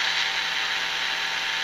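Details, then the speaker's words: Emerson 336 AC/DC tube radio: steady dense hiss with scattered crackle, no hum; pops and crackles persist though improved. Owner suspects silver mica disease; cause unconfirmed. "still getting pops and crackles I point to that's a lot better but look how bright that is that sounds like SOPA Micah's disease to me"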